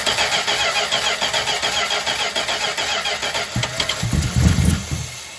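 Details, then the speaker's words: 1963 Chrysler 300J with 413 RB V8 and cross ram induction on a first revival start, carbs prefilled with fuel: cranks and catches, then loud raspy chuffing on every firing pulse from a blown-apart muffler loosely held with pipe tape; exhaust leak. "What's that horrible exhaust leak noise?"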